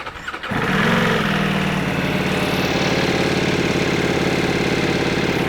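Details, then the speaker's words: Ducati Multistrada V4S cold-started after one month unridden: cranks, fires and settles into a fast busy idle with loud mechanical clatter; owner says it's noisy until warm and the oil circulates, then smooth again. "Maingay oh. Ganito yung tunog ng mga motor pag galing kasay, pag brand new, pag start. Medyo maingay. Makalampag yung makina."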